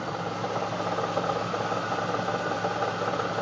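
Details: 1999 Chevrolet Camaro SS V8 at idle with a faint, uneven tapping about 160 times a minute over a steady hum; abnormal noise, cause unknown.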